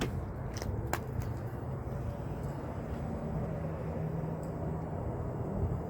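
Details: 2010 Toyota Prius after its engine knocking and rattling was fixed: a quiet, even, low hum at idle with no knocking or rattling left. The engine runs smoothly.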